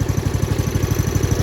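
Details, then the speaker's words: 1995 Craftsman LT4000 lawn tractor, single-cylinder engine, after sump gasket replacement: quick, even putter at a low steady idle, no stumbles or skips. Good idle speed, shouldn't go much lower, running nice and even. Normal idle. "That's pretty good for idle. I wouldn't go too much lower. It's running nice and even."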